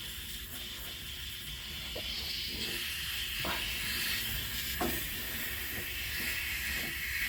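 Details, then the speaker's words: 1975 Dodge Dart air shock being pumped up: steady high-pitched hiss of escaping air with a few handling knocks; air shock line leaking, looks kinked and broken through. "but it appears like I have a leak I hear air coming out of my air shock oh it's coming from up here okay"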